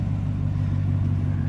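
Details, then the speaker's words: 2020 GMC Sierra, warm engine at idle after replacing idler pulley and serpentine belt: smooth, even low rumble with no squeak or chirp; belt drive now quiet and healthy. "Listen, now it's so quiet now, no squeaking. God, I couldn't stand that."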